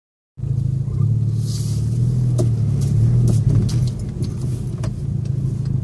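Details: VW MK6 GTI petrol engine idling with a low rumble, broken by short, sharp, irregular chirps from somewhere in the engine bay. The source is unknown.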